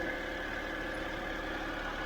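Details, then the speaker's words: 2007 BMW 328i E90 after new electric water pump and thermostat, running to get hot and check for leaks: steady, even idle with a faint constant whine, no knocks or misses; engine sounds healthy and settled. "i'll let it run for a few minutes get it nice and hot make sure everything's okay checking for leaks"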